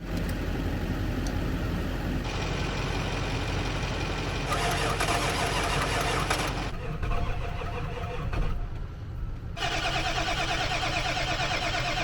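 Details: 1996 Ford F-350 diesel crew cab, 5-speed manual, just bought, jump-started from another truck: long spells of steady cranking rising and dropping between attempts without catching; rat's nest found in air box, cause not confirmed.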